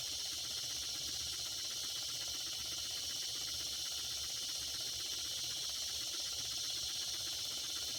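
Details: Circa-1946 Watt Victor electric-powered toy steam engine, after repair, warmed to about 200–250 degrees with the whistle working: a steady, even steam hiss with no misses or knocks, running beautifully and speeding up as temperature increases.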